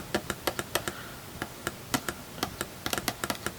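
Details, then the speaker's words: 1930s Rola 6-inch field-coil speaker tested with 9-volt battery touched to the leads: string of sharp irregular clicks as contact is made, voice coil moving; output transformer and coil work, though the cone is torn. "I hope the microphone's picking that up, but the voice coil is moving, and it seems to be fine."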